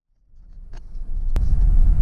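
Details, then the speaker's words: 2018 Chevy Tahoe 5.3L, just over 13,000 miles, on a test drive after a misfire repair (bad spark plug). Under moderate throttle, not floored, a deep even rumble builds smoothly with no stumble or jerk. It pulls cleanly; normal running under load. "Just tramp down on it a little bit. I didn't put it to the floor. It's pulling good."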